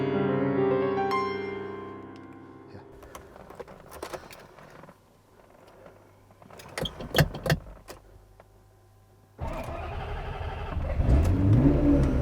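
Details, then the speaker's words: Ferrari 355 with existing misfire, kept on trickle charger, first time it won't start: starter spins engine evenly for seconds but never catches; owner suspects low battery, unconfirmed. "So unfortunately the car will not start. This is the first time that this has happened."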